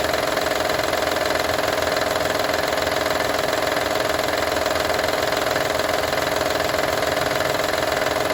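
Steady idle with an even, quick tapping rattle, about three a second, laid over the engine's drone: a rattle at idle, source unclear.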